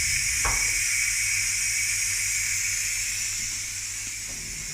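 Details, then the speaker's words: Ninja pressure cooker letting steam out after the beef brisket cooking cycle has finished: a steady high-pitched hiss from the valve, fading slightly toward the end. Normal pressure release venting. "This is that, so that's finished. We're just letting the steam out now."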